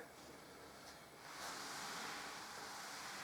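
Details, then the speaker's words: Harley-Davidson Deuce trike conversion, front wheel jacked off the ground and spun: soft even rushing hiss like surf; just balancing beads rolling inside the tyre, nothing rubbing. "No, it's definitely just the balancing beads that you can hear."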